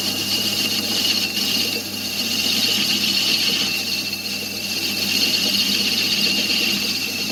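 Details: 1993 Fiat Ducato 2.5TD diesel in a Hymer B544 camper: a steady high-pitched squeal while running, as the narrow V drive belt slips on a worn crankshaft pulley. Fixed with a new crankshaft pulley.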